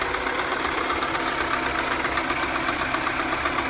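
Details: 2007 Mini Cooper (non-S) N12 engine, cold start idle: fast, even ticking about four per second keeping pace with engine speed, left side of engine; fades above 2000 rpm, persists warm; began after an hour at motorway speed; new tensioner didn't fix it.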